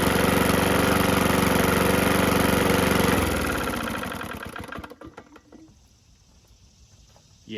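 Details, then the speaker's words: PowerSmart DB2194PR 21" push mower, RATO 170cc engine, curb find: rough, clanky idle with steady knock then winding down; knocking badly, and oil left sitting fills the top end and blows out the exhaust; likely internal engine wear. "okay I think it's time to call it quits on this one it's knocking like crazy"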